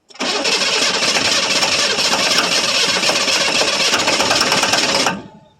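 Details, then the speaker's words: 1982 Chevrolet Silverado K10 4x4 with the 6.2 L diesel, cold start after sitting about 22 years: a harsh, rough clatter fires on starting fluid, catches for about five seconds, then cuts out abruptly and stalls. Cause not confirmed. "Well, she started again."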